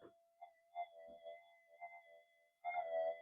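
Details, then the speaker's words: Minelab GPX 5000 metal detector after component upgrades, mono coil in a room with electrical equipment: steady high tone with warbling hum bursts, 50 Hz mains interference from monitors and a sleeping computer's power supply. "so that's just signals interference 50 hertz you know monitors computers"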